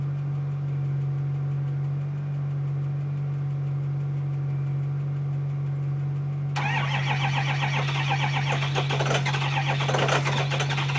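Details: 2005 Ford Powerstroke 6.0L diesel just after a cold start that needed extra battery charge: it started rough, then settles to a steady, even idle with a low drone, slightly louder partway, no misfire or knock; normal idle.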